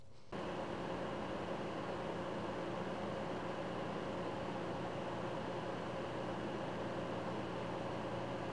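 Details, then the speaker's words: Orico 5-bay USB 3.0 external hard drive enclosure: its cooling fan gives a constant airy whoosh with a faint steady hum and no change in speed. It runs normally but is annoyingly loud on a desk. "It's annoyingly loud, especially if you have it sitting on your desk right next to you."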